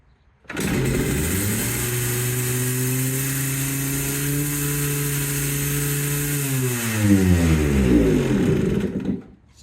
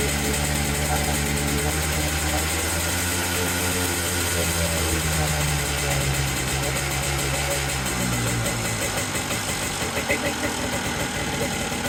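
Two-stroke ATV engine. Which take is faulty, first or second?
first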